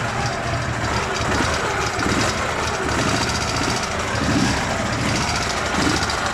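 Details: Dnepr MT-11 boxer twin at idle after cylinder head rebuild, valve clearances set slightly large: steady, even, busy rumble with no more head knock; earlier knock probably from a poorly lapped exhaust valve.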